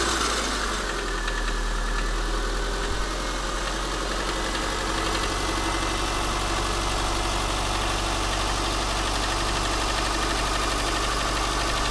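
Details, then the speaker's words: Subaru Forester SG5, EJ203 SOHC 140 hp naturally aspirated, cold start: steady idle with a fast light ticking knock, louder left or center, fading after 3-4 minutes and inaudible warm or with throttle; cause unconfirmed. "Где бежит? Из-за того, что она холодная. О, видишь, он начинает пропадать уже."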